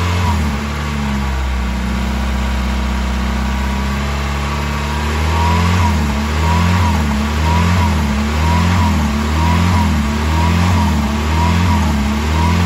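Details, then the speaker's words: 1990-1993 Mazda Miata on its first start after the air valve/choke control valve was replaced: the engine still idles high and hunts, surging up and down about once a second. Idle fault persists, cause not found. "well it looks like that wasn't it either guys I'm going to shut it down for a sec"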